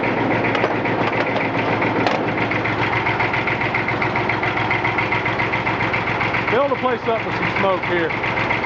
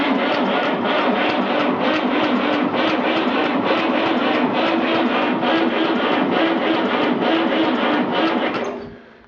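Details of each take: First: 1959 Fordson Dexta with a 3-cylinder Perkins diesel (144 or 148 cu in), hard-started with ether and a small battery after sitting about six months. Old diesel chugging at a steady idle with clatter and hydraulic noise as the lift cycles; no knocking, it idles fine. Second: 1959 Fordson Dexta 3-cylinder Perkins diesel, sat about 6 months, cold, small battery, ether sprayed in air cleaner, throttle slightly open: starter turns it over slowly but evenly, about three and a half compressions a second, no firing; battery lacks cranking amps.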